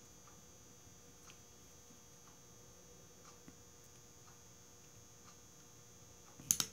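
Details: 2001 Toyota Camry with code P0446: near silence, then one sharp click burst as power is applied to the new vapor canister purge valve (part 90910-12264); solenoid switching as it should.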